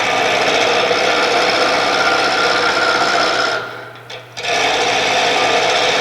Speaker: Now it sounds like it's smooth and probably a lot closer to this being round.